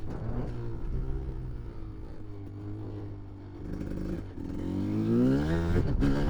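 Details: 1993 Kawasaki KDX200 two-stroke after new piston, ridden after 5–10 minutes of second/third-gear break-in, then shifted through the gears to wide open: revs rise cleanly with a crisp, even pitch; runs strong and healthy under load.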